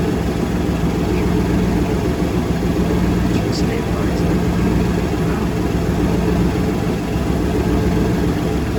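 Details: Monaco boat engine run before winterizing; steady low rumbling idle holding even speed throughout, no knocks, misses or surging, idling normally.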